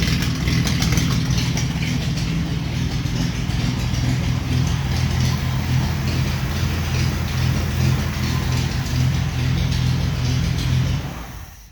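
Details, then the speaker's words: 1950 Plymouth 230 straight-six with split manifold and straight pipes, early start, awaiting radiator: loud, uneven rumble with a fast idle because the carbs are out of balance and the linkage is not yet adjusted. "so other than turning the idle down a little bit because she was a screeching I haven't dialed those carbs in yet and they're way out so I gotta balance them and get the linkage dialed in"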